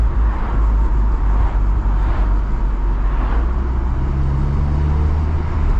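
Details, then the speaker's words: 750 bhp Cupra built engine with a GTX35 turbo, on its first break-in drive: a strong low engine drone under load with a faint rising whistle as boost builds. Turbo spooling cleanly. "lovely noises coming from that gtx35"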